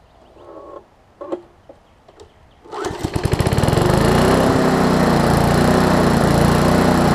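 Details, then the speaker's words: Lawn Chief push mower, engine turned 180 degrees and recoil cover fitted, air-fuel mix adjusted (needs starter fluid on cold starts): a few pull-cord tugs, then a steady, even drone with no missing or surging; normal running. "i can show you that the air fuel mix is pretty good right now so we'll go ahead and run it real quick"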